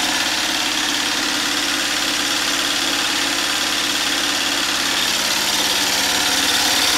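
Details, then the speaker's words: DIY 12V DC gasoline engine-alternator generator running with battery bank and inverter, used to power a whole house: steady, even drone with smooth unbroken beat, no misses or knocks; normal running under load. "so I wanted to show you my 12volt DC generator actually operating and this is it operating with my battery bank and my inverter"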